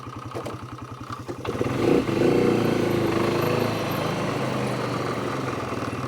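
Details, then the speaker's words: 2006 Polaris Hawkeye after a drive belt replacement and choke fix: starts right away, then a rapid uneven clank at about three per second as the clutch rollers rattle in the CVT, before the engine revs and drones. "you hear them uh clutch rollers klank and dead battery"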